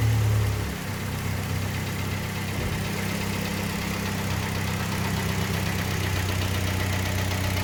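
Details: Kia Sportage 3, 122,000 km, warm engine after service (oil changed Shell 5W30 to NGN 5W40, throttle body and injectors cleaned, filters replaced): smooth even idle, earlier dull metallic knock gone; timing chain due for replacement.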